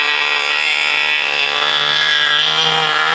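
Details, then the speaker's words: 1980 Cox Babe Bee model aircraft glow engine running again after 46 years: a high, even buzz at one steady pitch with no misses or surging, running cleanly. "Hadi bakalım bir daha çalıştıralım. Bakın burada ne güzel bir çalışma oluyor. Harika."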